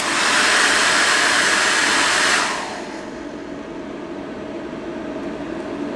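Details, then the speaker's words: Bluetti EB55 portable power station (UK spec) running a hairdryer: loud hairdryer roar cuts off abruptly, leaving steady cooling-fan whir; inverter shut off on overload, restarted by press-and-hold. "I'll quickly then come back down, and then I will go back until it cuts the power to the inverter off."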